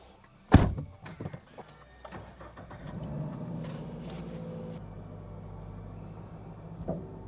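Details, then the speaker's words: 2023 Subaru BRZ with newly installed coilovers, rear preload just adjusted: a sharp, heavy clunk from the rear as the car pulls slowly out of the garage, then another knock seconds later; the fix attempt failed and the clunk persists. "I literally just went out of the garage and it clunked let me try that again there's the clunk"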